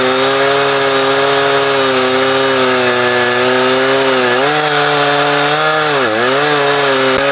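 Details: Husqvarna 455 Rancher two-stroke chainsaw, warmed up, cutting a heavy block; it had choked when warm. Steady high howl sags briefly biting in, recovers cleanly, pulls strongly; old filter discolored brown.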